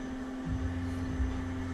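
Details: Electric fuel pump in race car after failed dyno (Hellcat pump drew ~18 A, tripping AIM PDM), running flat out; steady even mid-pitch hum, no surging, whining or cutting out: normal fuel pump running.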